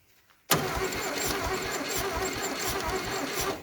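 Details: 1968 VW beetle buggy engine, battery connected despite broken terminals: steady rhythmic starter churning for about three seconds with no firing or catch; cranks but won't start, cause not confirmed, carburettor spray considered next.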